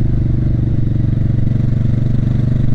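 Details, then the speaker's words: Motorcycle ridden hard near full throttle: low engine thrum pulses unevenly and sags under throttle, losing power, then stalls; it had run out of gas and needed reserve. "something's weird something's weird it's stalled it's stalled no I hear the gas huh what happened am I out of gas already"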